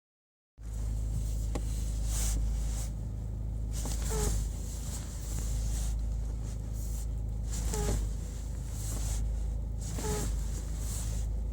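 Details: Peugeot 308 (T9) at idle: moaning groans rising in pitch while the steering is turned hard left, occasionally on right turns too; owner suspects the hydraulic pump unit or electronic servo, uninspected, unconfirmed.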